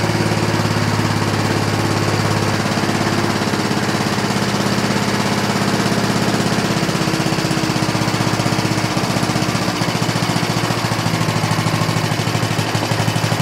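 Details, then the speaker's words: 1960s Roof push mower rescued from trash, single-cylinder, after plug clean, running without air cleaner and fan shroud, slightly rich after overfill: fast, even popping without stumbles or misfires; sounds good. "Everything rounds out and shuts off. Good. Sounds good."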